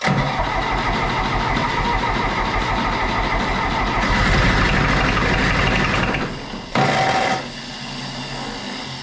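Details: John Deere 1010 diesel tractor, first start after engine rebuild with fuel lines filled and glow plugs drawing current: cranks, catches and settles into steady even chug, no knocks or misses; normal running.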